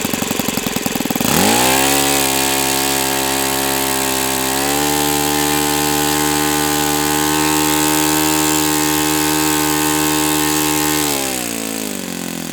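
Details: O.S. FS-91S II four-stroke glow engine, first run on test stand: catches, climbs to a steady high buzz, holds evenly, then winds down with no sag. Owner says it freed up once warm; normal running.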